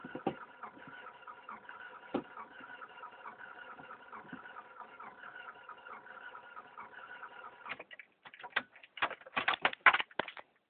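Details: 1996 Honda Accord that stalled and died: rapid even ticking for several seconds, then scattered louder clicks, with no cranking or firing; no-start with clicking, cause unknown.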